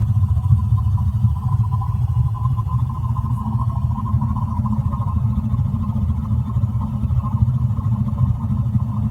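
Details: AO Smith boiler water heater: constant low rumble with a faint steady hum above it, no let-up; abnormal rumbling noise, cause unclear.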